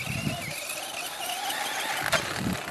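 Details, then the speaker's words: Traxxas Slash 4x4 RC truck on 1/8-scale buggy tires and adapters, run through tight turns. A sharp, wavering squeal over the motor whine; the owner feared the main bearing was failing, and the mid bearing growls and needs replacing. Cause unconfirmed. "wow thought thought my main bearing was about to go right there and chew up the rest of my drive system"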